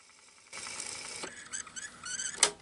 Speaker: then you wait until you hear a specific sound that tells you it stops it's like a squeaky sound here it is